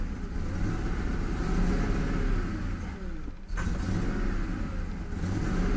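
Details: Ford Mustang, about 2000, 4.6 engine, after fixing a strange hum at the air filter duct and refitting the valve; revs up and settles smoothly, steady even rumble, no hum, miss or knock; runs clean.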